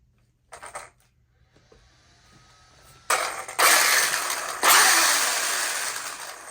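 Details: Traxxas Slash 4x4 after installing a new Velineon brushless motor and ESC, motor backed out slightly from an overly tight gear mesh: short throttle bursts whirr up sharply and coast down cleanly with no clicking or gear chatter; mesh now sounds right.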